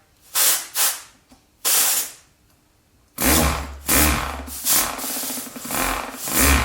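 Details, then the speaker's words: StirlingKit RW-BL1K live steam engine model kit on compressed air, switched into reverse: a few hissy air puffs, then a steadier run of quick exhaust chuffs; reverse working, normal running. "reverse is working. Nice."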